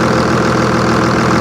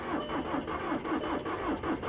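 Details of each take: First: Old Cummins diesel truck at auction, no EGR cooler or particulate filter, hood open: fast, even, loud clatter and steady drone, no misses or knocks; noisy but healthy idle, runs great. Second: Dodge Challenger Scat Pack Wide Body at 17,640 miles, said to be a diesel that sat for months: a long steady starter churn of about eighty pulses a minute before it catches; it had lost its fuel prime.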